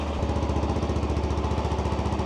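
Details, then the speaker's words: Benelli BN 125 single, stored about 7 months, started straight off the button and left idling to warm the oil before an oil change; low, steady, even thump with no knocks or rattles over the exhaust beat, a healthy idle. "But let's fire it up. Oh yeah, straight off the button. This bike has been super reliable like that."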